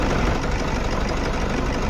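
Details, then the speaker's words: 2011 Toyota Fortuner diesel idling rough and uneven with a lumpy, stumbling beat from an engine misfire; also pickup drop while accelerating; scan later shows code P0200. "Engine missing हो रहा है miss fire हो रहा"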